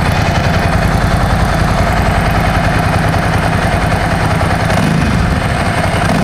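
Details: 17-year-old Ducati 1000 DS V-twin, restarted to focus on the exhaust note: loud, lumpy idle with a steady off-beat pulse from the pipes and dry clutch clatter underneath; very loud but healthy.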